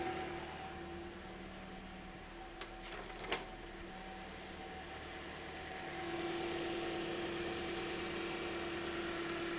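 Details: 2010 Toyota Corolla idling after radiator and coolant connector pipe replacement, heater on, warming up; radiator fan kicks on at low speed: quiet steady idle with soft even fan whoosh rising partway; healthy.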